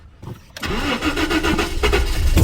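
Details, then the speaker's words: 1988 Jaguar XJ6 (XJ40) with a water-contaminated fuel tank, cranking: a few ragged, uneven firing pulses catch briefly on one cylinder but never settle into running, with smoke. Cause undetermined; crank, no start, firing on one cylinder. "ually kicking it's actually kicking on one of the cylinders and it wouldn't be from many Go Juice I put in it cuz that was ages ago"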